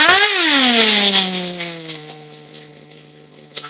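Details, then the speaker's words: Nitro RC vehicle during base carburetor tuning on 16% nitro fuel, warmed up: high-pitched scream jumps on throttle then sags and slowly winds down; throttle lag, mixture tuning suspected. "I'm still getting a lag. So, I just want to get a base tune for now and then take it out there. But it sounds laggy like an old engine that barely had any power."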